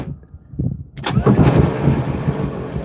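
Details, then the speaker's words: Bus at a museum: solenoid clunk, then the starter whirs and rumbles with no engine firing; starter not engaging, a newly started fault, starter judged done. "The starter's gone out. You hear it? It's not engaging."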